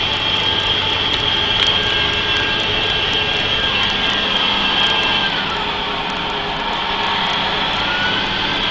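Shrill steady whistle riding high over the diesel's running, with fine rattly ticking; a failing turbo screaming rather than spooling cleanly.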